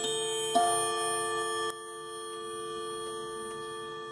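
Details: 1980s Leick solid-oak pendulum quartz clock, Tochigi Tokei movement, chiming 11 o'clock after reassembly: two clean metallic gong strikes with long slowly fading rings; normal mechanical chime.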